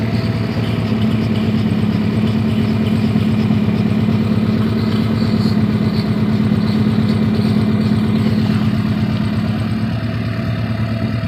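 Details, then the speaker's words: H22-swapped Honda Civic at operating temperature after driving: idle hangs fast and steady instead of dropping, from a vacuum leak at an intake manifold gasket that keeps loosening, which the owner blames on the solid engine mount. "been driving it for a while and now I want to go punch it and idle would not drop it stays here"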